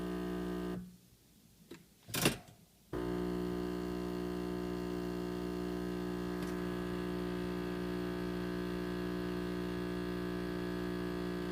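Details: Breville Dual Boiler espresso machine, six months old, pressure still good: after a brief pause a loud, steady, even buzz starts and holds; cause unknown, owner fears the machine is failing; loud buzzing.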